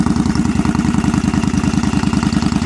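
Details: 2001 Yamaha V-Star 1100 Classic Silverado cold start, bike earlier popping on choke, likely running too lean: even, loping V-twin beat at idle with no popping or misses; idling smoothly.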